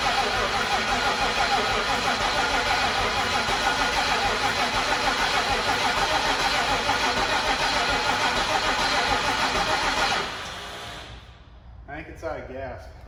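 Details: 2003 Mach 1 Mustang, MMR Stocker engine, twin turbos, 4R70, weak battery, jump-started: steady fast cranking for about ten seconds with no firing; fuel gauge very low, fuel pressure only near 20, owner suspects out of fuel.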